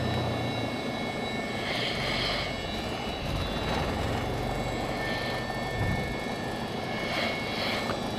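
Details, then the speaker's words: Lycoming fuel-injected Mooney M20J, warm after landing and hot start: smooth, even low drone idling at about 750 rpm just before shutdown, no misses or stumbles. Normal idle. "we're back to about 7:50 I'm going to shut her down"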